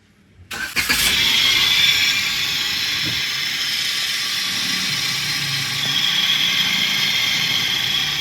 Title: Engine Making Loud Noise? 😱 Bad Tensioner Bearing Found & Fixed